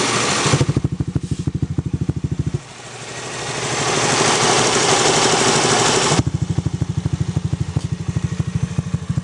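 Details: Honda Zoomer-X scooter engine idling with a light, regular clicking over its beat from loose valve tappets needing adjustment.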